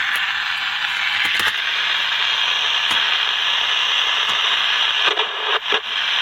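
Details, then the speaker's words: General Electric P-815A Deluxe 7-transistor radio during repair, after parts replacement: only a steady hiss with faint crackles and no station; output has improved but there is still no tuning, and corrosion is seen inside. Cause not confirmed. "We had more than we did. We still don't have any tuning, but"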